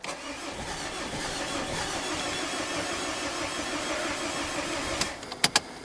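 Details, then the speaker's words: Mazda diesel after air-con compressor swap and belt refit, glow plugs cycled, about fifth start attempt: long churning crank catches for a moment then dies with a few clicks; cause not confirmed: engine fires briefly then stalls. "it's not having it is it oh hang on nearly"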